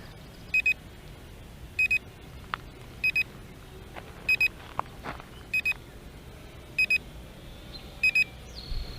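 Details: Potensic T25 GPS drone controller while recording video outdoors in a breeze: double high beeps repeating about every 1.3 seconds over faint wind; normal recording alert beep.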